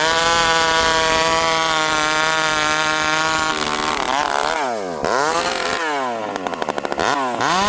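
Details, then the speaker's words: STIHL 064 chainsaw screams at high revs, then wavers and hunts on the way down, returning to idle slowly; owner thinks it runs a little lean, though it sometimes stalls as if too rich. "Okay, so right there, without going too far into it, you can hear the saw kind of warble as it comes down to idle. Okay, so it's coming down to idle a little slow."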